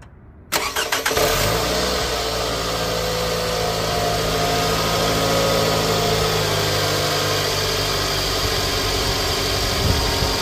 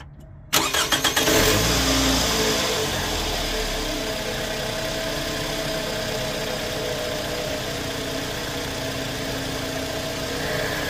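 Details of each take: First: 2008 Scion xB, 352,000 miles, startup before oil change and engine flush: fires quickly and settles into a steady idle with a fast, light ticking on top; owner describes loud valves, likely lifters or valves, unconfirmed. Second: 2008 Scion xB at 352,000 miles, after Liqui Moly engine flush and fresh oil change: quick crank, fires straight away, brief rev, then smooth steady idle with no ticking or knocking; motor noticeably quieter.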